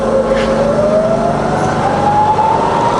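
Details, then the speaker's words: Fully rebuilt Bridgeport milling machine, variable speed head in high range, spindle run through speeds down to 450 RPM then in reverse; smooth gear whine rising as it comes up to speed, no knocks or grinding. "okay so let's go all the way to the top that's to 9000 that's 2,000 back down to a thousand and then on to 450 okay reverse now"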